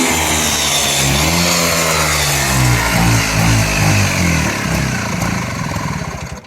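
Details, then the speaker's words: Bajaj RE two-stroke autorickshaw, cold start after years untouched, fed an oil-petrol mix: it finally fires with some smoke, then revs and buzzes unevenly with a wavering, stumbling beat. The roughness comes from long storage. "Start ಆಯ್ತು, ಅದು ಸ್ವಲ್ಪ ಎಂತ ಇದು ಉಂಟು, ಹಾಗೆ ಆಗ್ತದೆ ಅದು start ಮಾಡದಿರುವಾಗ."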